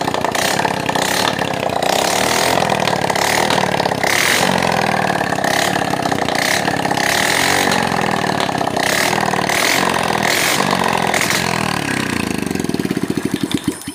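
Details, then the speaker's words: Motorcycle single-cylinder engine after fixing smoke (new piston, rings, valve seals, lapped valves, carb leak fixed): even steady idle with crisp throttle blips, no rattle or misfire; smoke gone, runs clean. "Ini udah hilang ngebulnya dan insya Allah suaranya juga udah enak ya"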